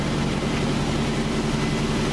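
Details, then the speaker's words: Nissan Armada started from the new 2-way remote start: the fuel pump cuts on, then ignition, and the engine starts right up into a steady, even idle with no misses or knocks. "So now, the main feature, the remote start. Hear the fuel pump cut on, and then ignition. See that? Starts right up."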